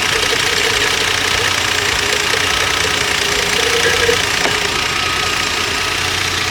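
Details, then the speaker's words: Volvo during a BG engine performance treatment; light fast tick around three or four per second over a steady idle; persistent tick, cause not pinned down. "Car is idling at 400 RPMs. So, let's take a listen and look outside to see what we got. Hands are blowing. Tickwise is still there."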